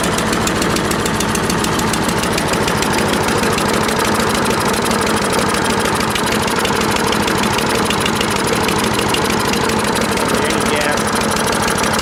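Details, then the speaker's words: Troy-Bilt 12AV566N011 mower after cleaning the carburetor bowl and main jet: loud, fast, even firing at steady speed with no misses or surging; runs smoothly. "purging now well it's run so good I decided to myself even an oil change"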